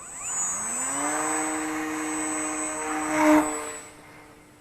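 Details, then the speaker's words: Volantex P51D Mustang 750mm electric RC plane at about 60% throttle at launch: the motor whine climbs quickly, then holds a steady high tone with a slight buzzy edge; owner suspects the prop needs rebalancing. "Sounds like I may need to balance that prop again."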